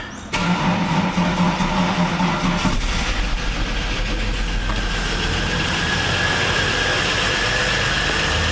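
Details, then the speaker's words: VS Commodore after head gasket job, first start with no coolant in it: starter whirrs, engine catches and settles into a busy, clattery idle with a light rapid tick; engine noise on first start, expected to quieten. "well hopefully that noise will quieten [Music] down i think it will i think it will"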